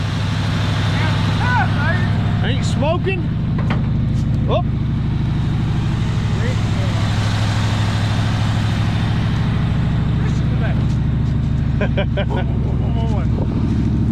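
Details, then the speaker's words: 1965 Ford Galaxie 500 long-parked, idling after carburetor rebuild; deep, steady low rumble with an even beat, running pretty good with a little smoke. "running pretty good listen to her a little bit of a little bit of smoke but not bad"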